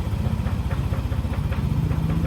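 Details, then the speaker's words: Yamaha NMAX scooter after a major service (new cylinder block, roller housing and genuine gaskets and O-rings, done after late oil changes caused stalling): steady, even single-cylinder idle with no ticks or knocks, running normally again. "sudah normal kembali Ya normal seperti baru lagi ya walaupun motornya lama tapi bagian dalam mesinnya"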